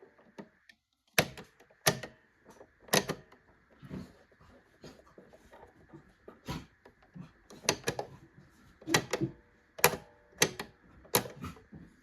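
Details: Pfaff Select 3.0 all-mechanical sewing machine making sharp, irregular clicks in small clusters from the mechanism against a quiet room; clicking noise, cause not clear.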